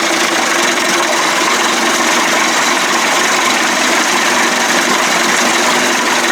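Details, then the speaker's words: 1989 Johnson Tracker 25 hp two-stroke outboard, first start, shifted into gear, still on old burned NGK plugs: steady even buzz, no misfires, knocks or surging; smooth, water outlet clean, battery voltage rose 12.58 to 12.61. "shit's nice and smooth water looks nice and clean wow it looks real clean"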